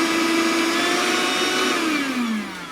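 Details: Deerma handheld cordless 18 V vacuum cleaner with low and high speed settings: steady high motor whine with airy rushing, then pitch slides smoothly down as it slows; motor sounds healthy.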